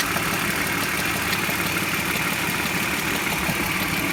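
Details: 1999 BMW E46 323i, M52B25TU petrol engine, idling: a light, uneven metallic rattle about three beats a second under a hissy background, cause unclear. Oil, hydraulic lifters, complete VANOS unit with seals and anti-rattle kit, spark plugs, coils, left and upper chain tensioners already replaced.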